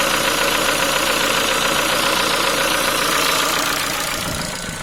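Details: Ford Focus 3 1.6 125 hp at idle: quick regular light knocks about four a second, louder when cold; worn piston pin from poor-quality parts, can appear within 10,000 km of purchase.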